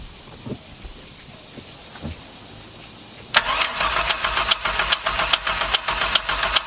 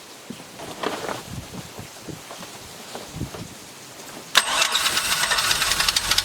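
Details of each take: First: 1996 Chevy truck V6 in Mercruiser ski boat, first start after swapping boat cylinder heads, cam and timing chain; steady cranking about 2.5 beats a second with sharp metallic clicking, owner suspects starter hanging up, maybe water pump. Clicking while cranking. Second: 1996 Chevy truck V6 in a 1994 MerCruiser ski boat, rebuilt with the boat engine's heads, cam and tight timing chain, first start: a few turns, then it fires abruptly and runs steadily with cooling water flowing. A clean, healthy first start.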